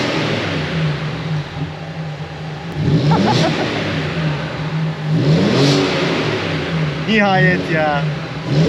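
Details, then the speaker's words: Audi A4 Cabriolet 3.0 V6, first start after a year off and a full engine overhaul: smooth steady idle with three clean throttle blips, no knocks or misfires; engine now runs healthy. "Evet Arkadaşlar gördüğünüz gibi araba Gerçekten çalıştım bir senenin sonunda şu anda sağlıklı da çalışıyor görünüyor"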